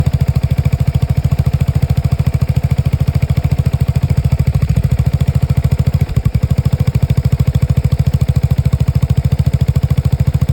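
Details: Steady single-cylinder idle thump with a couple of dropped beats around midway; Lexmoto Nexus 125cc motorcycle misfiring, with faulty fuel-air mixture readings and a misfire count recorded on diagnostics during the misfires.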